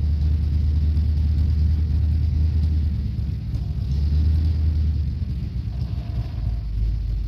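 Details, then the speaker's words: 1969 Dodge Coronet 500, believed stock 440 V8 with 4-speed, sat for years with carburetor never serviced, just after a near-cold start: deep lumpy steady rumble, no knocks or misses; normal cold idle, owner says not running 100 percent. "so hopefully that sounded at least uh mildly good like I said it's just a stock 440 is what I believe it is um nothing fancy"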